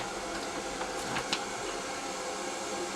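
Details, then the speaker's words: Main Eco 30 combi boiler refill after replacing the 10-litre expansion vessel, PRV and air vent: mains opened through the filling loop toward 1 bar, steady even hiss of water rushing in, air spitting from the top vent. Normal refill. "I'm now going to open the mains. You can hear it rushing in."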